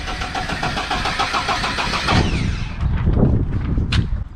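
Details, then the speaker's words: Lada VAZ 2103 cranks at a steady even beat for about two seconds but never fires: zero spark despite replaced ignition coil, distributor cap, condenser and ignition switch, after the chain tensioner broke at 120 km/h; battery getting flat. "nothing and the patter is getting empty as well so everything is just great absolutely zero spark awesome awesome the day just keeps getting better"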